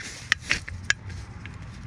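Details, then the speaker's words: Fiat 500 Valeo 90 A alternator removed and turned slowly by hand: short, uneven scraping clicks; it scraped with the belt on and noise vanished with the belt off, so alternator deemed faulty and replacement ordered. "voilà ça s'entend même leur la main ça fait du bruit"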